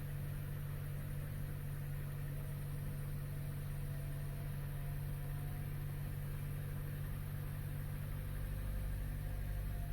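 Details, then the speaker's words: 2012 Chevy Cruze at idle, where the scan tool shows the cylinder 4 misfire count at 12,426 and climbing. Low idle with an uneven, slightly stumbling beat; cylinder 4 is identified as the misfiring cylinder. "will say cylinder 4 is definitely the problem"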